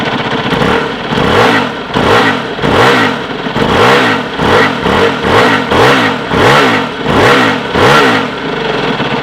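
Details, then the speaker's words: Aprilia RXV small V-twin enduro, after starting: repeated throttle blips, each rising and falling cleanly with an uneven V-twin beat unlike a thumper, running strong and healthy; normal V-twin revving. "It does have quite a unique sound, as dirt bikes go, owing to the V-twin. It does not sound like any thumper you've ever"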